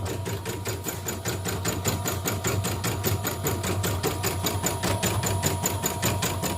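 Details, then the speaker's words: Repaired embroidery machine fitted with new-model dynamo motor: even stitching rhythm about two and a half beats per second, soft pull without stutters; running smoothly. "nah ini mesin sudah lancar sudah halus nah ini dinamonya dinamo yang baru model yang baruanya juga nih lembut ya apa namanya tarikannya enggak"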